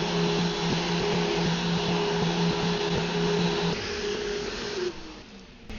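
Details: Random orbital sander on wood, held with the hand on top after a rear-finger grip; this reduced the wobble. Sander hums at a steady, even pitch with no rocking or jumping, then winds down smoothly; normal running.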